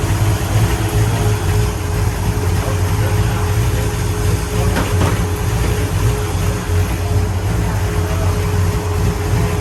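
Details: 1966 Pontiac GTO convertible V8: deep, even rumble holds steady with no misfire, knock or sputter; engine runs smoothly and healthily.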